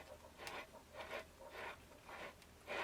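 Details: Husqvarna 394XP chainsaw torn down to assess parts, bare crankshaft spun by hand after a recent run: a faint gritty rasp about every half second, worn rough main bearings, though the owner first thought they felt good.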